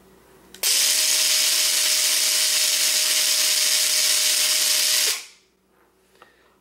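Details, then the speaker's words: Gear mesh test with watt meter at best position, about 90% tooth contact: clean, even mid-pitched whir for about four seconds, then smooth spin-down; gears mesh freely without grinding and amperage is lower. "see right away the amperage is lower the position of the opinion is pretty close to 100% but not exactly it's about a 90 to 90 percent and you know you can hear the gears spin really well"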